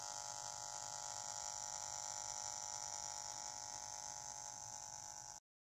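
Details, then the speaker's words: Jumper T12 Pro radio transmitter: constant electronic buzz with a thin high whine from the speaker, as the module-to-speaker wire acts as an antenna picking up transmission noise; fix is inside the radio. "the wire that goes from the moldboard to the speaker is acting as an antenna and picking up the noise is coming from the crossbar transmission and that's what's causing the speaker buzz"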